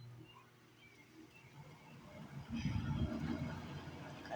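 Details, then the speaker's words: General Electric 6000 BTU window air conditioner, about 5 years old, switched on: quiet at first, then a loud low rumbling surge that settles into a steady drone; normal startup. "Now this thing's loud, so for this portion of the video, I'd recommend turning the volume down because it's pretty loud. So let's start it up."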